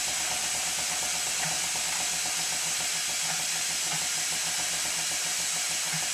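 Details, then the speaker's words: Minnie-type model traction engine test-run on compressed air: a constant high airy hiss that never lets up, from an air leak somewhere near the cylinder; the regulator also doesn't close fully. "there are two things wrong here that are immediately apparent one is the regulator does not close fully and the other is the constant air leak coming from somewhere near the cylinder"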